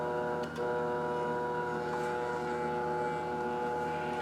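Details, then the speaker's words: Telescope mount stepper motor after gear reducer fitted to cure skipping: fully horizontal with even more weight than before, steady even whine with no skipping, moving and holding the load normally. "all right we're completely horizontal with even more weight than we had before and the stepper can move it and hold it no problems whatsoever"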